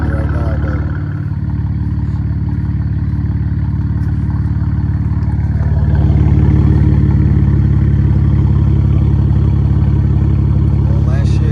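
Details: BMW 335i (E92) petrol engine warming up at idle with a low, uneven lumpy pulse, a misfire; O2 sensors and injectors being swapped for index 12s with injector coding.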